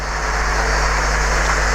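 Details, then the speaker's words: OO-gauge Lima Class 40 model loco after motor clean, oiling and wheel clean, running on track: smooth even motor whir with wheel hiss, no stutter, running well even slowed to a crawl. "Running really well. Even on the crawl, if I slow it down. That is pretty slow."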